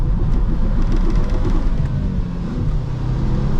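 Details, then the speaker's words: Ex-police manual Volvo T5 estate, 2.4 L turbo five-cylinder, 200,000 miles, on damp road: heavy drone surging and dropping irregularly under throttle; engine stuttering while accelerating with poor traction, cause not identified. "yeah that's definitely that stuttering thing and combination of no attraction so let's look at the cars having a spasm then"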